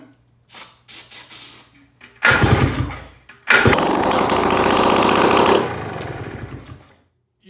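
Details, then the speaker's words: Polaris ATV, first start after complete rebuild, no exhaust fitted and starter not working: quiet clatter, then two harsh, very loud rasping bursts of raw firing for a few seconds; engine runs. "Even though there's no exhaust, that was so loud, but holy cow, it freaking works!"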